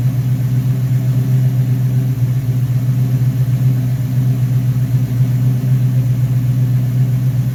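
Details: Rebuilt Rochester Quadrajet 7029202 from a 1969 Corvette (ethanol-damaged fuel bowl cleaned up), first start after rebuild: deep, even V8 idle with steady rumble and a few quick blips settling back smoothly; normal idle with throttle blips.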